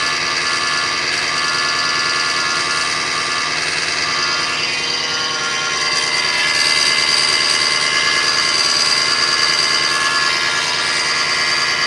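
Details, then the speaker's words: 2005 Kia Sedona 3.5L at 116,000, after a new timing belt, tensioners, idler, water pump and harmonic balancer, with no accessory belts: about a minute after start on warming high idle, a harsh high-pitched whirring grows louder. It fades with higher rpm but returns; source unknown. "So it goes away when you bring the RPMs up, but then it comes right back."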